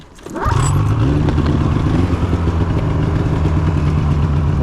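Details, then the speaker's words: 2016 Polaris Indy 600 SP two-stroke snowmobile after cleaning power valves, replacing clogged fuel filter and adjusting belt deflection; snaps up and holds strong steady high revs, no bogging, 65.93 mph eighth mile versus earlier 6,500 rpm limit; normal full-throttle run. "8th mile 65.9 3 mph that ain't bad that ain't bad well I'd say she's working quite a bit better"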